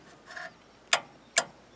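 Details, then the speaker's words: Wrecker front winch, controller plugged into the solenoid pack with the cover off: three sharp clicks with no motor hum, power out present but the winch motor doesn't turn; likely a failed solenoid. "the power in clicking but the wiench motor doesn't move but it does power out that probably means we have a failure in one of the solenoids"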